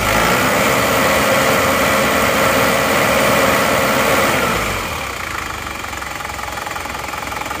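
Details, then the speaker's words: Isuzu Panther diesel just after an overhaul with four new original cylinder liners, new original piston rings, one piston replaced, a new head gasket and new oil and fuel filters, idling steady, even and smooth with no knocks or rattles; normal idle. "Nah ini untuk mesinnya suaranya seperti ini Alhamdulillah sudah halus"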